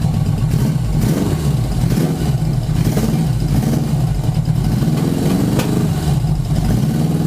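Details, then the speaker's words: 1980 Yamaha XS1100 Special, cylinder 4 intermittently dropping out, suspected high-resistance resistor plug caps: loud, lumpy engine beat that stumbles further when one spark plug wire is pulled, showing that cylinder was firing; misfire from disconnected plug lead. "I turned off the for the first time ever I didn't have so you're still but if I pull this one it does a little more it gets it gets angry with me"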